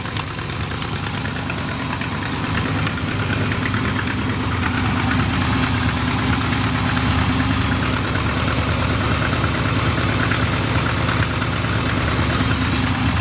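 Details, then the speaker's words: Old big-block Chevy squarebody truck, neglected, lumpy idle: faint quick puffing tick about three per second over the rumble, exhaust leaking at the manifold, at least part of it; exhaust manifold leak. "Obviously has an exhaust leak. coming out of those right there. At least part of it."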